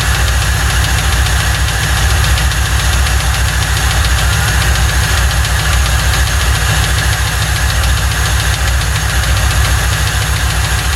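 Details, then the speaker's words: 1995 Lincoln Mark VIII 4.6 4V Ford Modular V8, first start after timing chain set job (received with no oil): uneven deep knocking under rough idle; sounds like rod knock, needs a new engine. "Sadly, this story doesn't end well. It sounds like it's got a rod tapping in it. She's gonna need a motor."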